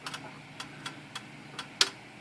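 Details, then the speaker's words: Smith Corona/Sears typewriter whose carriage jams at the same spot under typing but moves smoothly by hand with the carriage release: light scattered ticks, then one sharp louder click where it catches; carriage click at the jam point. "I did some investigating and I also heard this click when I look back here Sophie listen closely you can hear this click right there"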